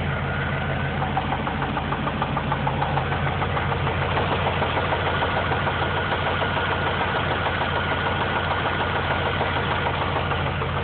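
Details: Engine idling with steady, even knock about three beats a second; heard about four months after an oil change with oil level found low; owner unsure, rod knock or lifters, seems from heads; mechanic says rod knock.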